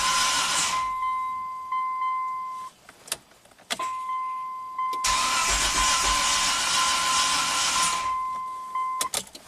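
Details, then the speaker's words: 1998 Mitsubishi Montero Sport, start after timing belt and valve stem seal repairs: starter churns in long bursts with door chime beeping, slow to fire, then some smoke; owner suspects valves not fully seated delaying compression. "After doing all those valves, you know, if they're not completely seated, it just took a little while to get compression back, but I think we're in good shape."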